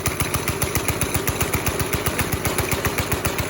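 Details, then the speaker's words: NASCAR-bodied go-kart, 5.5 hp Briggs and Stratton single-cylinder: pedal floored yet engine stays at steady low idle, about three and a half firings a second, never picking up; throttle cable came loose, hanger out, no cable tension. "Sometimes you deal with headaches. This is one of those times. Like, my foot's on the floor, and we're not getting, like, full reaction here."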